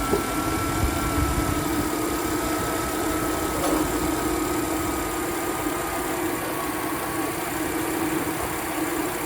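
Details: 2004 Jeep Liberty after no-crank repair, regulator plugged back in and belt refitted: steady, even idle with a smooth low hum and faint constant whine, no knocks or misses; healthy.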